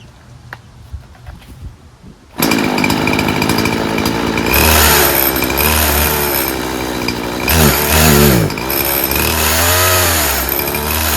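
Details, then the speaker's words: Poulan Pro 50cc 20-inch chainsaw on 40:1 premix, chain tension readjusted: strong high buzz holds revs under cutting load, chain bites cleanly with no chatter or bogging; works great. "Perfect. That worked great. This is very strong. 50 cc's."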